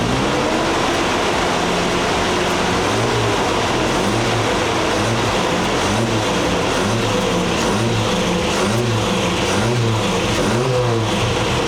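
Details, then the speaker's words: 1985 Toyota 4Runner engine fired up after repair work, intake manifold bolts tightened: four-cylinder runs steady and even, then revs up and back cleanly with no knocks or misses; normal running. "Now let's fire this bad girl up and let it burp. Don't. Sounds good so far."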